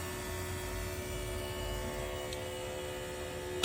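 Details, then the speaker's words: 1990s Cushman Truckster, not run in years, with a new fuel pump relocated to the old fuel filter spot and new oversized fuel line: a steady electric hum with the key on, then a click; normal fuel pump priming with no leaks. "We got fuel in it now. It does work with the key, as you can hear. No fuel leaks."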